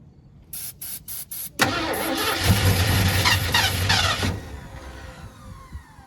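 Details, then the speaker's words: 1972 Ford F100 that sat for decades, engine previously locked up: slow choppy cranking, then a brief rough catch with a lot of smoke that dies away. It cranks and fires but won't keep running; owner suspects fuel isn't reaching the carburetor. "What? That counts as fired, right? There's quite a bit of smoke. Must not have fuel to it. I don't think the fuel's getting up there."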